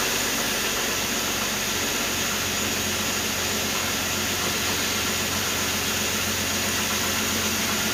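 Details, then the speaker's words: Jeep Cherokee Sport after full tune-up (oil, antifreeze, spark plugs): starts better than its usual hesitant start, steady even idle with no misses, knocks or hunting; normal idle. "right so we'll let that run for just a minute um sounds perfectly fine start it up a lot better than actually what it normally does"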